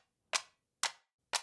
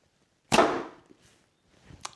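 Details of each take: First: New short Turkish bow being drawn: three crisp, bright clicks about half a second apart as the string snaps over a sharp little corner on the bow, to be fixed. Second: New short Turkish bow after a quick fix: a small bump where the string caught was smoothed, and one clean release gives a soft fading whoosh and the arrow's hit with no clicking.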